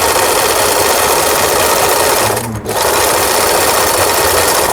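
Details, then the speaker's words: Very old Singer Merritt SR8 sewing machine, apparently unused about ten years, after repair, sewing the overlock stitch: fast, even needle chatter with one short pause, no knocks or binding; stitching normally. "신고미신과 달리 생산된 지 오래된 기계인데 박음질이 잘 나오고 있습니다."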